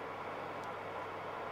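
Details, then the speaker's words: Oven fan running normally with fan setting and thermostat on, element heating and air leaving the bottom duct: quiet, even whoosh of moving air with no rubbing, ticking or wobble. "you can see the element starting to heat i'll just move the camera for you slightly you can see the air out of the bottom duct now as well coming out down here"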